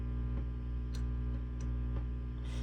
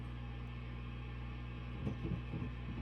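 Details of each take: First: Peavey 5150 II tube guitar amp at full volume after replacing microphonic 470K resistor R82: steady low mains hum, chassis taps give only faint brief clicks with no ringing or feedback; microphony gone. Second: Peavey 5150 II tube guitar amp on the normal channel: steady hum, and knocks on the chassis bring rattly ringing bursts through the speaker; microphony traced to R82, a 470K preamp resistor, not the tubes, to be replaced.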